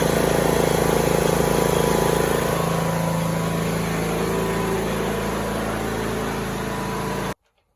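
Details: Troy-Bilt Bronco 42-inch riding mower, 19 hp Briggs & Stratton, hydrostatic, run about 2 minutes after oil and filter change: smooth, even steady beat, no knocks or rattles, then clean shutoff; normal running.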